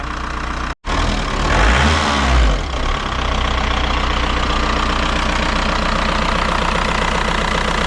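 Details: VW Jetta TDI diesel, bought non-running with no compression and spare ALH engine, idling unevenly with a stumble right after start and an irregular lumpy beat; air bubbles seen in fuel lines, air getting into fuel suspected.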